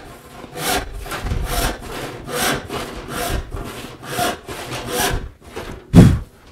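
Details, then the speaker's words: Hand saw cutting wood in rhythmic rasping strokes about twice a second, the backstrokes as noisy as the cuts; teeth dragging through the wood on the pull stroke, needlessly dulling them. "another cause of that rattle can be dragging your tea through the wood as you pull"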